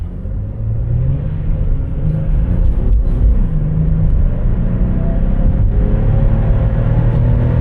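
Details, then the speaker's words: Chevrolet Impala automatic (check engine light for air pump) on an appraisal drive at full throttle; deep rumble climbs with clean rev drops at each upshift, no flare or slip. Shift points good, normal shifting. "So far it all seems good. It's all our shift points with heavy throttle pressure."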